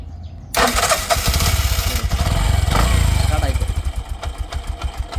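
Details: Bajaj auto-rickshaw engine that would not start by hand pull or starter, diagnosed with an engine earthing fault: after half a second of quiet it catches at once and settles into a quick, even putter. Normal start.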